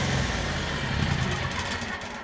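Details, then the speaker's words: Kohler EFI mower engine after fuel pump replacement, with fuel pressure steady at about 35 PSI: steady speed with an occasional uneven beat and sag. The engine is stumbling and still running rich due to a known O2 sensor issue, to be fixed next. "Now, you'll notice that you did hear it stumbling a bit. This engine is still running rich because it has an O2 sensor issue."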